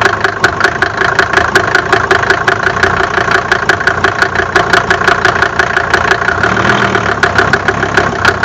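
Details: Mercedes OM605 diesel at rough idle: sharp steady ticking knock, roughly four a second, from inside the engine; cause not yet pinned down.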